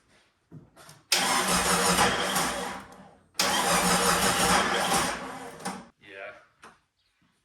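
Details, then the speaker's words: Jeep Cherokee XJ 4.0 after motor swap, cranking: two long rough bursts with uneven chuffing and intake backfire, never catching; combustion happening at the wrong time, probably from a misindexed cam position sensor; an injector may also be plugged in backwards. "It's got a combustion that's happening at the wrong time, so it doesn't want to spin nicely."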